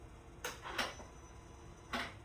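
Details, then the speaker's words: 1966 fastback with a Coyote V8 swap, PCM flashed back to stock, after wiggling the PCM harness and fuse box wires: short sharp clicks at key-on as the electronic throttle plate self-tests, confirming the harness connection, though fuel pressure is still missing. "Right, I'm gonna turn back on, and you can hear in peace the throttle body or the butterfly go on."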